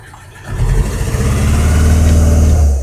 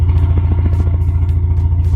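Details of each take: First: "Bavarian" car abandoned for 5 years, just started after long cranking: two throttle blips give a lumpy, uneven drone that shakes rather than revving smoothly, a bad misfire. It is thought to be running on two cylinders and is said to sound like a lawn mower. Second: Four-cylinder "Bavarian" car abandoned for 5 years: it now gives a steady, even low rumble with a regular beat and no stumbles. It suddenly started running better, seemingly on all four, without any repair, apparently fixing itself.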